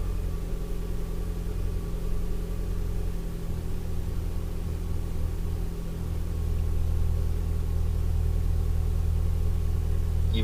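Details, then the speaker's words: 2012+ Mitsubishi Lancer with newly installed CNT axle-back exhaust, cold start with door open then closed; deep even fast idle with low exhaust rumble, no knocks or misses, healthy. "So this is going to be a cold start with the door open."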